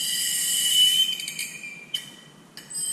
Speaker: it's your brakes that are squealing reason is because the brakes are done so if you hear that has annoys your brakes are finish